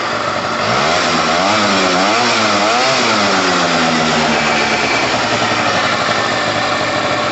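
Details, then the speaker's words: Pulse Force 50cc two-stroke scooter with a new carb, started first time cold, smoky from lots of oil: high, slightly hunting but crisp, even idle on choke. Normal cold idle until the choke is off. "We can't adjust the carb anymore at the moment until the choke is gone. So when we hear the revs settle, then we know the choke's off."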